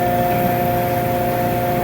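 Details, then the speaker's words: Pump transferring waste motor oil for a LANAIR MXD300 waste-oil heater, just restarted after swapping suction and discharge lines: steady hum with a thin, even whine, no fluid yet while self-priming; fluid appears shortly after. "Alright, let's see if we get any fluid coming or no, nothing is showing. It's supposed to be self-priming."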